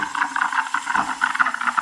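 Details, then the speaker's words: DeLonghi Dedica EC685 espresso machine steaming milk in cappuccino position with panarello; steady steam hiss with light rapid pulsing tick beneath, fairly quiet; normal thermoblock knocking while steaming milk. "it's fairly quiet you can hear that knocking from the thermoblock but it's not loud"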